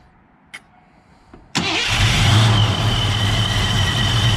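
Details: 1987 Ford Mustang LX 5.0 V8 automatic with Vortech A-Trim supercharger, converted back to speed density, first start: a couple of quiet clicks then catches at once and settles to steady, even idle; normal engine start.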